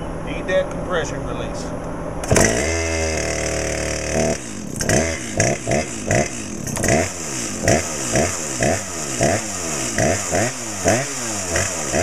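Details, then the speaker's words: Brand-new Dolmar PS-7910 chainsaw, 28" Sugihara bar, factory carb settings, second start, a little warm: fires, then quick repeated blips with a slightly burbly, blubbery edge; owner suspects slightly rich and plans a tach check. "okay sounds like it might be a little bit Rich we're going to need to get a tack on it"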